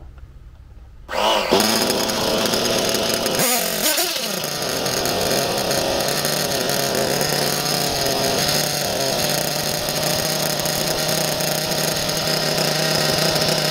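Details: Nova B3 nitro RC engine in S-Works S35-4 buggy, briefly running like a dream between sticking episodes; buzzes hard and steady at high revs, clean and even with no misfires.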